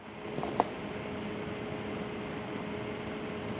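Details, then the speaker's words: Xiegu G90 radio's added cooling fan running as soon as battery power is connected, microphone brought close: quiet, even airy whoosh with faint steady hum, no rattles or ticking; fan running normally. "and can you hear that the Fan's already running you hear that here"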